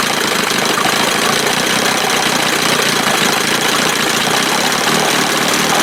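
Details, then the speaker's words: 1971 Johnson 20 hp two-stroke outboard after carb swap (smaller jet than a 25 normally has), loose parts and one bad motor mount: steady, fast crackling buzz with no misses or surging; running normally, sounds pretty good. "anyway I think she sound pretty good"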